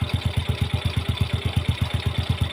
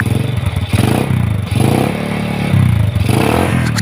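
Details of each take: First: Yamaha Jupiter Z that had a loud knocking clutch noise, fixed by adding one ring (shim) and changing the black, old oil. Now a steady, even single-cylinder idle at about nine beats a second with no knock: normal idle; an exhaust leak is noted. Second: Yamaha Jupiter Z motorcycle after fixing noisy clutch with an added ring: engine now smooth, but rough puffing chuff and irregular clatter at the pipe reveal a leaking exhaust.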